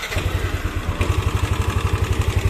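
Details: Yamaha NMAX scooter engine idling: steady low thump with light, rough tek-tek ticking; suspected in the cylinder head, valve clearance found too loose and readjusted.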